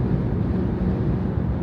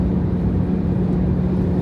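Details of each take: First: Jeep Grand Cherokee WK2 at about 75 mph after the free cowl fix: only steady road rumble and some wind noise, no droning hum from the cowl between hood and windshield; cowl now quiet. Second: Jeep Grand Cherokee WK2 at highway speed, with a steady low hum over road and wind noise from the plastic cowl panel between hood and windshield; it appears when wind speed along the cowl reaches 70–100 mph.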